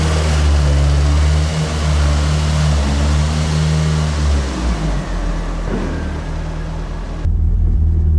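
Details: Carbureted AE86 build on a temporary throttle setup: a deep, steady idle with an even thrum and one brief dip midway that recovers. It is now running properly, and the owner concludes the carbs were the earlier problem. It is still slightly smoky, with a coolant leak.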